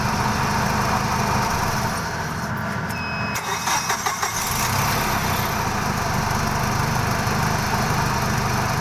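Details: Jack H-20 series forklift, hard starting when gas pedal not pressed: engine cranks and catches roughly, then settles into steady but uneven idle; reluctant to start, cause unclear.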